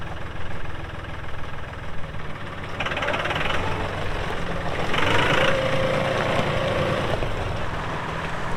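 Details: 2018 Massey Ferguson 2605H 4WD compact tractor, 310 hours, 911X front loader: steady diesel clatter at idle, rising and settling with load as hydraulics work, no knocks or misses; normal healthy running.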